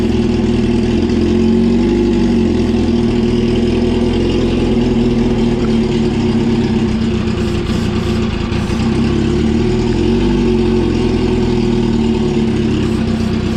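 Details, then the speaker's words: 2004 Yamaha R1 unstarted for over 10 years, on fresh fuel: a steady, loud engine note rising and falling with throttle between idles; it runs, but the owner can't find why it struggled and suspects ether is keeping it going. "Anyone out there that knows anything about bikes, let me know if I've missed anything, because as far as I can tell, this thing should be running. I don't know what else it could be."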